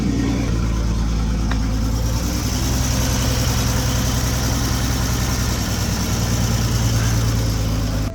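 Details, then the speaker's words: Toyota Supra MkV straight-six running with oil fill cap pulled to check PCV: steady heavy low rumble, rough and uneven at idle like a misfire; problem worse than bad PCV, engine may need rebuild, cause unclear. "It's been running like that for a pretty long time now. So, whatever damage is going to be done, it's already been done."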